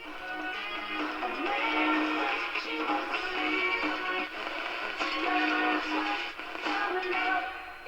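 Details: Music comes through clear and steady with slight roughness on louder passages from a 1936 Montgomery Ward 62-315 tube radio after capacitor and resistor replacement and cleaned 75 tube pins; distortion improved, speaker not reconed.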